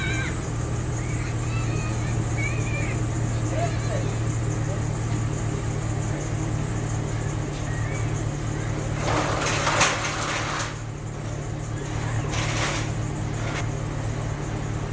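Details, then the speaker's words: Chevrolet Tahoe with newly installed Flowmaster muffler, at idle at the muffler shop: deep, steady low rumble with an even beat, no misses or rattles; not very loud, nice little rumble. Normal idle. "it ain't all of that loud got a nice little ground to it uh we have to see what it sounds like going down the road"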